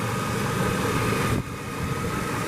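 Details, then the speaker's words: 1998 Chevy Silverado (Vortec) V8 idling smooth and even, no stumbles, after a drive showed about six codes with a flashing check-engine light; codes reset and truck sat overnight, misfire now gone; normal idle. "we reset the codes let it sit overnight this is what we've got now that engine no misfire anymore it's just sit there run"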